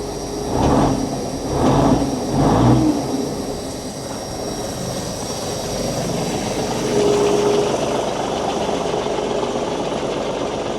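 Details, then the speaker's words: 400 hp big cam Cummins diesel in an auction truck with 9,471 miles, just fired right up; a few early surges settle into a steady, even idle with no knock or miss; normal diesel idle. "what a unit yeah it's a 400 horse big cam cumin"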